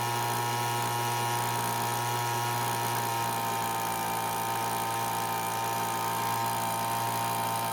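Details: Cheap two-stroke leaf blower that wouldn't start, after the carburetor H (high-speed) screw was adjusted with the L screw untouched: a steady high-pitched wail held at full speed with no misfires or surging; runs clean.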